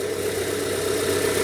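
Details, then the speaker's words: 1997 Rover 200 R3, warm, head gasket believed already done: smooth even mid-pitched idle hum with no knocks or ticks; healthy normal idle. "Listen to that engine purr."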